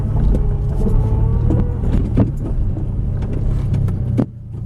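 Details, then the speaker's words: Acura RSX Type S with a Spec D cat-back exhaust, heard in the cabin with windows up while accelerating, 3,000 rpm and shifts at 4,000 rpm; deep low rumble, little drone, more wind noise; normal exhaust note. "So this is 3,000 RPM. 4. All these shifts are at 4,000. Not that much drone at all. There's more wind noise than anything, and like you can have a perfectly good conversation in here."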